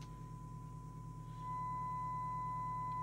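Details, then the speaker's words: Skiptech TI4000FM CB27/81 CB radio (circa 1992) on receive with a signal generator tone: the tone comes through harsh and buzzy instead of clean, indicating the FM detector is far out of alignment. "then that sounds like the detector is absolutely miles out"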